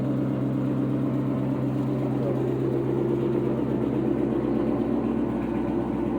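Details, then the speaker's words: 2000 Ford Mustang GT, 4.6 V8, 172,000 miles, reportedly stock engine, possibly straight-piped with cherry bomb or turbo mufflers; steady, even idle with smooth low burble, no knocks, misses or whine, runs well: normal idle. "Well, motor don't run bad though."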